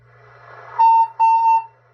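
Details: Cobra 142 GTL CB base station: a pure, steady whistle at about 900 Hz in short bursts at constant pitch whenever the volume is turned 3/4 up or more. Interference fed into the audio was traced to the shielded black wire at the mic plug.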